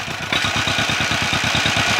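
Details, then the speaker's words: 1949 John Deere MT two-cylinder tractor; lumpy idle with an even popping beat and faint hissing at the intake gasket; spraying brake cleaner there smooths the idle, pointing to an intake gasket vacuum leak. "it's not running all that great about a hundred percent you can hear it but I'm hearing a little hissing come around this intake gasket"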